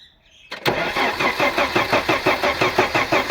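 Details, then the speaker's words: Audi 100 after head gasket replacement (old gasket burnt at cylinder 4, compression crossing between cylinders), reassembled and first start attempted; starter spins steadily but engine never fires, crank no start; no ignition current found, to be checked with multimeter. "Болды. Бізде оталмай жатыр. Енді бұны тоқты тексеріп көрейік кәні."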